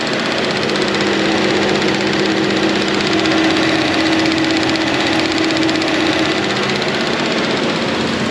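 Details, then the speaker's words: Petrol engine idling in the shop with a light fast ticking from the EVAP purge solenoid; clicking stops when commanded to zero percent in an actuation test, pointing to a bad purge valve. "you can hear it stop clicking looks like it's got a bad purge valve"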